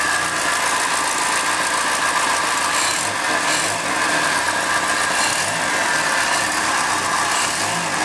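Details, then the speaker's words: Triumph Dolomite 1300 engine just fitted to a Gentry MG TF Replica, warming up after first start, burning spilled oil off the manifold: steady even idle with smooth hum, no knocks or misses; sounds like quite a good engine. "We'll let it burn that oil off. Actually sounds like quite a good engine."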